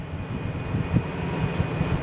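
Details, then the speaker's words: Case IH Magnum 340 tractor, FPT diesel, pulling 9600 gal Jamesway tanker uphill in ninth gear at about 1770 rpm, engine brake switched on: deep steady labouring rumble, no knocks, engine lugging down; normal under load. "All right, hear the engine lug down. It's pulling that tanker"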